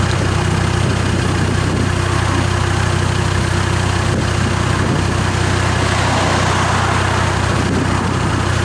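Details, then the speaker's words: Land Rover Discovery diesel on cold start with a straight-through exhaust fitted, which makes it sound different than before. Loud, steady idle with an even low thrum of about three pulses a second and an open exhaust note; runs healthy. "yes what I do even might notice that this is sounding a little bit different to what it was before"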